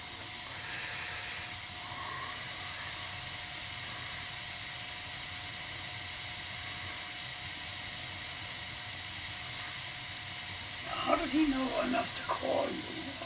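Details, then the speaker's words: Gas boiler after replacing a non-adjustable gas valve that caused high CO levels, dialed in and combustion tested: even, steady gas hiss from the burner with no flutter or popping, some handling clatter at end; burner now running clean, normal operation. "do a smoke test and check the draft wow what a difference guy what a difference you could hear the difference in the gas"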